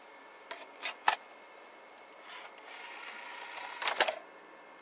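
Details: SV2000 VHS/DVD recorder combo: quiet unit with sharp irregular clicks and a brief rising gear whirr around pressing eject; abnormal mechanism noise, a recurring fault on this model.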